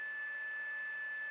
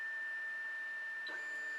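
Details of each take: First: Anycubic i3 Mega-S 3D printer after replacing the stock hot end fan, which only starts at 60°C: steady airy whir with one constant high tone, no rattle; a little loud but much quieter than the worn-out stock fan, running normally. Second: Anycubic i3 Mega-S 3D printer with fans replaced but stock stepper drivers, as a print starts: loud whining stepper tones changing pitch with each move over a steady high fan whine; loud stepper motor noise.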